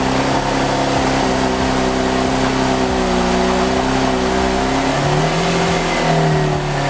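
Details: V6 Camaro with newly installed 80mm throttle body and adapter plate, not yet retuned: uneven idle with wavering, hunting pitch and lumpy low pulses, sounding close to stalling; rough idle.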